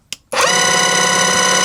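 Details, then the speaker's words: Battery-powered airless paint sprayer, which sometimes fails to prime or spray, switched on at position one; higher settings only spin the motor faster, pressure cut-out fixed: switch click then smooth steady high-pitched motor whine; normal pump motor running. "As I say, the potential more than that, but it just makes them more spin faster. But, the pressure cut out will remain the same."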